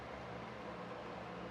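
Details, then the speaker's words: New Panasonic WhisperCeiling 70–90 CFM bathroom exhaust fan, heard with the mic close up: a soft, even airy hum with no rattles, ticks or pitch wobble. It is quiet and normal, unlike the super-loud old builder-grade fan. "I can open it up here so you guys can see that I'm super close now. If you can hear that, it's not loud at all."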